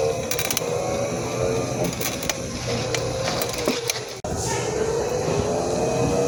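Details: New mobility scooter, about one month old, drive making a gritty, rasping grind over the motor hum with sharp clicks.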